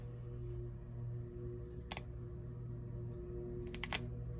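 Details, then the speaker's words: Unresponsive air-conditioning system with a blown fuse, a popper fitted in the fuse position and an amp probe on the transformer wire: low hum broken by sharp clicks as the breaker pops on the Y cooling call; bad contactor likely. Low voltage dead short tripping breaker. "See that? Here's a dead short on Y. Watch our amp probe when we do that."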